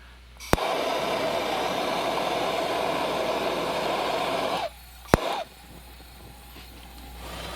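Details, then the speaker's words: 1956 Coleman 500A stove after teardown and rebuild, first light-up on light setting: a pop at ignition, then steady, even rushing roar for about four seconds; burner lit and burning properly. "Well, there we go. We are off to the races."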